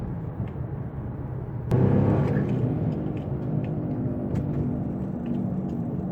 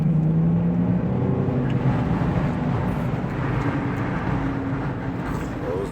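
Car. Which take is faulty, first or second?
second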